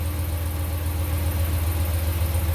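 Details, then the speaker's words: 2018 Ram 1500 5.7 Gen III Hemi idling after exhaust manifold leak fix with broken manifold bolt removed and new aftermarket manifold kit installed: deep, even, smooth idle with no ticking or puffing; healthy. "Nice and quiet."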